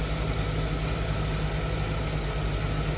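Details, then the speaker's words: Truck with head gasket and pushrods redone in 2019, idling: a light, loosely spaced ticking, about ninety-odd per minute, rides on the engine; valve train noise, owner suspects a loose rocker arm. Possible PCV issues or vacuum leaks also suspected. "so there's definitely some yeah definitely some valve noise I was trying to see what that was"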